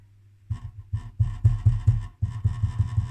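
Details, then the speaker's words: Fairchild model 7000 Nixie digital multimeter from about 1970, first power-up: a deep, low transformer hum throbbing in uneven swells. The owner suspects mechanical amplification from loose, movable parts; not confirmed. "you hear this that Transformer is just saying it sounds like it's oh do you hear this"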